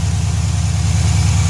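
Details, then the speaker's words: 2011 Dodge Challenger SRT8 392 (6.4) Hemi after replacing the serpentine belt, tensioner and idler pulley: deep, steady V8 idle with an even lope and no squeal or chirp. The belt drive sounds healthy. "So I'm gonna put the intake back on, button everything back up, and start it up, see what it sounds like. Oh, everything looks good, sounds good. No squealing."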